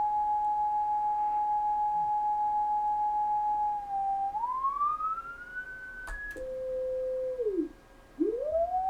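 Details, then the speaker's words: Kenwood TS-520 receiver after power cord replacement: clean, steady beat tone gliding in pitch toward zero beat as the dial is tuned. The calibrator marker works, near zero beat on lower sideband and slightly off on upper. "Go to upper sideband, and it's just a tick off. So it's pretty close. So let's, sounds like the marker's working."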